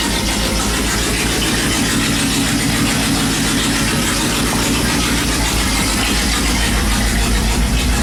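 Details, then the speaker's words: 5.2 V8 swapped Dodge Dakota, open-pipe turbo exhaust without turbo fitted, O2 sensor unplugged: loud idle with choppy, uneven pulses about three per second; ignition timing way off, firing too early. "sounds like the timing is way way off on it like it's firing too early so I'm gonna have to look into"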